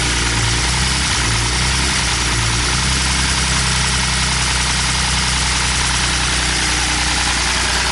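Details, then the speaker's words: BMW E46 M54 engine at idle after donuts, oil pump nut fell off: loud harsh idle with clattery metallic rattle across the engine, adding oil did not help; no oil pressure. "so I brought it back here and I didn't run it much when it was running like that it just sounded like awful just like the loudest [ __ ] lift or taking the planet"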